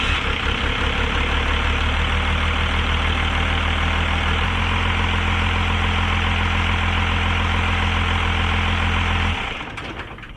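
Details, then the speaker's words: 1989 Dodge Ram D250 12-valve Cummins turbo diesel with VE pump, cold start after sitting a while, before water pump and thermostat work. Catches and settles into a steady, even, low rhythmic clatter with no misses; a healthy start for an old first gen. "not too bad for an old first gen"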